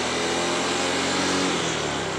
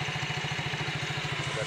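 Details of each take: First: Yamaha Mio GT automatic scooter at idle, noise from the rear CVT gearbox: a quick, fairly even metallic clatter three or four times a second. Such a rough rattle often comes with weakness on climbs; the clip is labeled as worn rollers and slide pieces. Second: Yamaha Mio GT scooter after shimming the gap between the bushing and the roller housing with a zinc plate: steady, low idle putter with even pulses and no drive-side rattle; the CVT clatter is gone.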